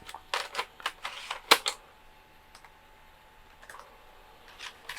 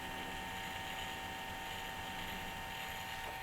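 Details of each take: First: Texas Instruments Extensa 550CD laptop floppy drive loading Cosmo's Cosmic Adventure: sparse dry clicks and short buzzy seek bursts with quiet gaps; the drive reads normally. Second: Texas Instruments Extensa 550CD laptop with a 524 MB hard drive, at power-on: constant rough whirring grind with a steady high hiss; owner suspects the hard disk constantly trying to load, or a bad fan.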